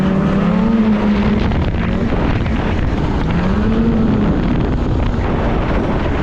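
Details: 2016 Polaris Indy 600 SP snowmobile on test ride, wind noise: engine drones at a flat stuck pitch under throttle, won't rev past about 6,062-6,500 rpm, bogging at half throttle. Fuel starvation from a plugged fuel filter.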